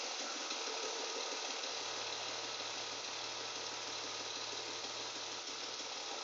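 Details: BMW E36 with M52 engine at idle: a light, fairly even knock about three times per second over the engine hum; source not pinned down.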